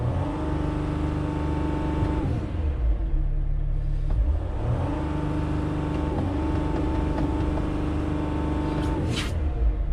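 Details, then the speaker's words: Mercedes Sprinter diesel with no stored codes, suspected wiring problems and a dirty particulate filter that won't regenerate: the note climbs on each blip, then stalls flat and drops back; engine will not rev past 3000 rpm, cause not confirmed. "So let's see if we can actually rev this thing over 3000 RPMs. We certainly cannot."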